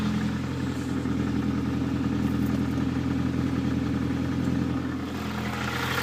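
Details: Nissan Pulsar GTI-R at idle: steady idle with a loose, irregular clatter seeming to come from the cylinder head. Cause unknown.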